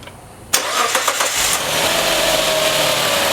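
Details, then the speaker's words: 2008 Suzuki Grand Vitara V6 at its 60,000-mile service, after spark plug replacement, started to check valve lash by ear: short crank, then a smooth, quiet idle with no valve tapping; valve train normal. "And it's nice and quiet. I don't hear any valves tapping."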